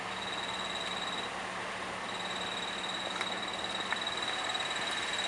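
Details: Worn clutch throwout (release) bearing on a 2010 Toyota Corolla, since replaced: thin, high chirp coming and going over a quiet idle, heard only with the clutch pedal fully released and the car in neutral.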